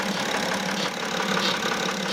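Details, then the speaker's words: 2009 BMW X6 E71 3.0 diesel, about 259,000 km, camera close to engine at idle: fast faint chirping tick over steady idle, traced by stethoscope to the EGR vacuum solenoid valve under the intake manifold. "이쪽 어딘가에서 찍찍찍 하는 소리가 나고 있어요. 그쵸?"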